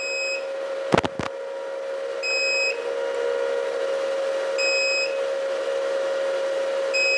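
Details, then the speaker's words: Antminer ASIC miner with its connector unplugged, reading 36°C and near-zero power draw: short high alarm beeps about every 2.5 seconds over a steady fan drone, with the red light on, signalling the disconnected connector. "so in a little bit it's going to start beeping okay as you can see without the beeping sound the red light it means we don't have the connector here"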